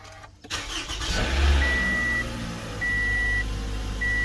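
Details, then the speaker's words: 2012 Toyota Camry 2AR-FE after engine noise repair, cold start after two days, oil light only half a second: quick catch, brief flare, then smooth even idle under a chime, no knocking or ticking; normal cold start. "this is a cold start after like two days and as you can see there is no oil light it was just there for like half a second this is the sound after it was repaired and this is pretty much the normal sound for the camry engine"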